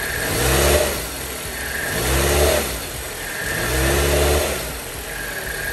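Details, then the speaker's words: 2010 Chrysler Sebring 2.4L idling with a helper inside: once shifted into gear a deep droning shake surges about every two seconds, water and watch visibly vibrating, worse in reverse; badly worn motor mount, about to be replaced. "see look at how bad these motor mounts are look at how the water keeps vibrating and if I put it on reverse is going to make it even worse"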